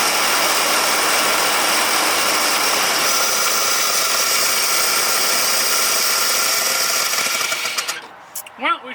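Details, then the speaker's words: 1968 Dodge C500 LCF truck with new HEI-style distributor, coil and plug wires, carburetor cleaned of old gas and clogged orifices, fuel pump fed from a can: loud, ragged, unsteady roar that stumbles and dies; rough running. "i mean it runs but not very well carburetor does get some fuel through it now but it's horrible"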